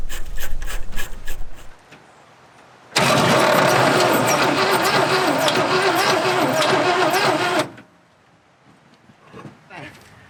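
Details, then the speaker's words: 1970 Chevy C50 crane truck, 350 CID V8, sitting over 10 years, fresh fully charged battery (12.68 V); steady starter churning about five seconds, no firing; ignition previously getting no spark; crank no start. "a good sign so it did turn over yay first thing we're gonna do is get initial the last thing we know is that the ignition of the system was not working at all it was not getting any fire"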